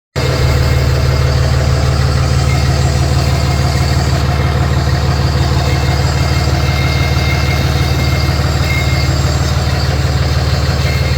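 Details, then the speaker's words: Cummins diesel, previously a no-start, now running after the battery terminals on both sides were replaced; deep, even idle with a steady low thrum and no misses or knocks, a normal healthy idle. "Well, as you can hear, it's running."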